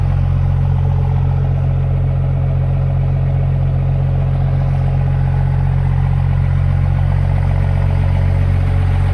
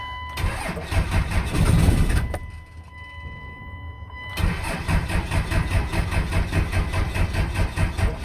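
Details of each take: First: 5.9L 24-valve Cummins diesel in a one-ton project truck, after a no-start: water-contaminated fuel drained, broken crank sensor ground wire fixed, started on one old battery with a booster charger. Deep, steady idle, even clatter about three beats a second, no misses; normal idle. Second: 5.9L 24-valve Cummins diesel after replacing a rotted ground wire: chugging crank about two beats a second, a pause, then weaker cranking on one old battery, never firing. Cranks but no start.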